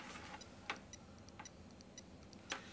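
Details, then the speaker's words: External hard drive plugged into a USB port on a Mac without FireWire during a Mac OS 9 install: sharp irregular clicking every half second to second over a quiet hum; the port cannot supply enough power to run the drive. "yep so it cannot be powered off of this which was my fear so I'm going to need to get a flash drive something that can be bust powered"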